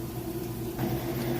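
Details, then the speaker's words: Kenmore top-load washer at full spin speed, steady smooth hum with no knocks or scraping, lid opened and drum stops quickly; normal spin cycle. "right we're back full speed on the spin cycle so we're going to lift this up there you go comes to stop nice and fast"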